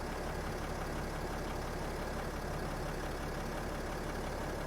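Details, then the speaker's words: 2008 Freightliner Sprinter 3.0 L diesel, crank-no-start with code P0335, after replacing the defective crank sensor: steady, even idle with a smooth low rumble and no misses or knocks. "so the problem was the problem was a defective crank sensor as you guys can hear the engine is running"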